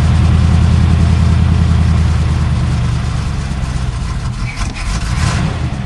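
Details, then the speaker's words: 1978 Cutlass 403 V8, restarted after sitting about 1.5 months: lumpy, uneven idle with a recurring skip, still missing on a cylinder. Earlier knock gone, distributor clicking audible; misfire. "yes still missing still missing but it's not knocking no knocking distributor clicking"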